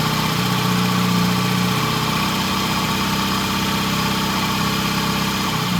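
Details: 1968 Triumph T100 twin with a new battery, after cleaning the pilot jet (set to 1 1/2 turns) and raising the idle slightly: steady, even idle with a firm low beat and no misses or mechanical clatter.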